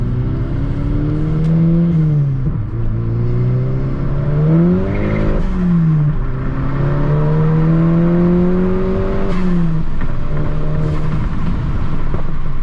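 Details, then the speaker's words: Mk6 GTI on a freeway pull after repair of a seized exhaust-side balance shaft with new balance shafts, chain and tensioner: strong, even pull, pitch rising smoothly through the gears, clean shifts, no knocks or rattles; healthy. "So far, so good. Been running really, really smooth. Done a few pulls already."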